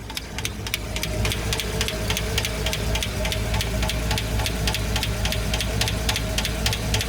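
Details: Right cylinder bank valve train with hydraulic lifters at steady idle: even, quick ticking about three or four times a second, no lifter clatter; normal valve train noise.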